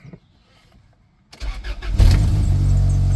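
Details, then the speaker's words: 1999 Honda Accord bought cheap after a crash, startup: short crank then catches quickly and settles into a steady even idle, no misses; no check engine lights; normal cold start. "fires right up no problems"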